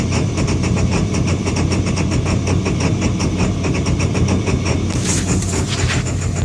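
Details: Engine idle with a lumpy, uneven pulse and chuffing beats that wander in strength, not settling into a smooth idle; rough idle, cause suspected but not confirmed.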